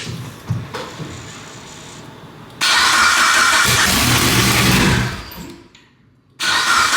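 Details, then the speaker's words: Built-motor Evo 9 with new turbo setup, first start with no downpipe and vacuum lines temporarily capped: harsh, loud open-pipe bark on start-up, then uneven idle that dips and catches; rough idle, possible vacuum leak. "it's going to sound like [ __ ] we have no downpipe or anything"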